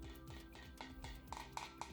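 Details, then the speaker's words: Tap test with microphone held close on an old split, cracked carbon bike frame: quick metal taps about four a second give a hollow, rattly click over the crack, versus a duller tone on sound carbon. "so you can do a tap test on this I'll just put my microphone nearer so you can hear the difference it makes on when you actually hit the crack"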